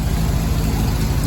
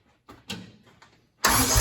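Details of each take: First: Willys CJ3B with replacement F-head engine, cold, just started after cleaning the carburetor needle and seat and roughly setting timing: low, smooth, even idle with no knocks or misses; normal idle. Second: Willys CJ3B with freshly installed replacement F-head engine, oil leak just fixed: fires after short crank into steady but strained idle about three beats a second, kept running only by hand choking; carburetor bowl nearly empty of fuel, fuel starvation.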